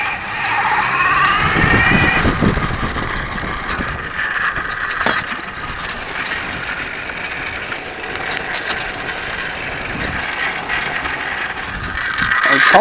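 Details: Rebuilt solar bike on first test ride, still needing oil: light metallic scrape with quick uneven pings three to four a second, like metal dragging; rider suspects something on the left side, cause unconfirmed.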